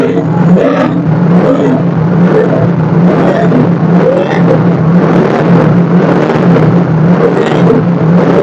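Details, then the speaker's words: Yamaha Mio J with a weak starter, running with the battery disconnected on only a 10000 µF 50 V capacitor to test charging after revving: steady low idle hum with no dips or stumbles; charging normal, engine very stable. "mesin ideal sangat stabil sangat stabil mesinnya saat itu tanpa menggunakan aki"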